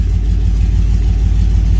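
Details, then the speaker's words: Truck engine with newly installed Holley Sniper EFI throttle body, warm start, coolant at 201 degrees, IAC position reading low: deep, smooth warm idle holding a steady rumble with no stumbles, ticks or hunting; sounds way nicer, healthy. "It's not a cold start, it's a warm start. So, and see where we're at. That sounds way nice, eh?"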